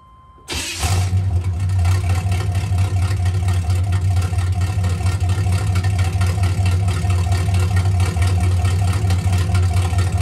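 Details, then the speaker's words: 1984 Camaro Berlinetta straight-piped with a three-inch single turn-down exhaust and no muffler: engine fires up to a deep, booming raw exhaust that stays loud through each blip. Loud exhaust without muffler. "so just a three inch single turn down it's loud so I'll let you guys hear that in a second"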